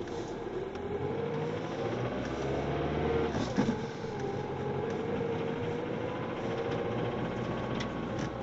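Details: 2005 Ford Mondeo TDCi diesel at idle: a loose metallic rattle layered over the usual clatter, holding steady; the source can't be pinned down.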